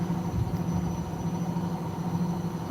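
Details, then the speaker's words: Bush washing machine found on the street, spin speeds 600/800/1200 rpm: spinning at about 800 rpm, a steady low drum hum with even pitch and no thumping or scraping; normal spin cycle. "Spinning at around 800 rpm, I'd say. This machine's got three options for spinning spin speed. 600, 800, 1200."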